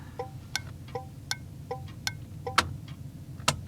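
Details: 1981 Chevy, key on and engine off, second HM 552 thermal flasher replacing the factory Tung-Sol 224: crisp, bright ticking at a steady pace; the flasher cycles normally.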